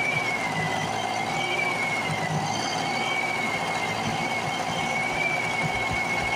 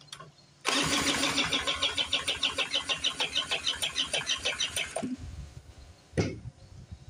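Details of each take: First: A rusty Speedway Series 1000-watt two-stroke portable generator from an auction, started with a makeshift pull rope, buzzes at a high, even pitch with a slight waver and no misses or knocks. It runs normally. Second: Old two-stroke Speedway 1000-watt portable generator, pull rope missing, spun with a drill, choke shut: about ten seconds of fast, even cranking with no firing; won't start, owner suspects flooding or lost spark.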